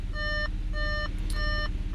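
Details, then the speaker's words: Audi S4 3.0T supercharged idling after an oil change, rear seats removed for track days. Bright beeps about a third of a second long repeat every 0.6 seconds over a low engine hum: the airbag warning chime, which pressing the cruise control stalk silences. "oh yeah if you ever want to get rid of that annoying beat just hit the cruise control down here"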